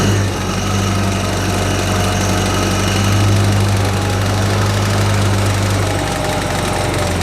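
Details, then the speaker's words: International 184 tractor after ignition component repairs, set to medium idle speed, out of gear; steady even low putter with no knocks or stumbles; normal idle. "it's been sitting outside for a little while now and seems like it's idling perfectly fine"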